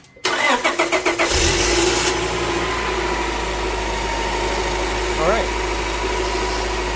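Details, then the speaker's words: Honda Prelude after alternator belt tightened: a few cranking beats catch into steady, even idle with no squeal or chirp; cold-morning check still pending. "this is okay no squeak but I guess we'll find out in a morning"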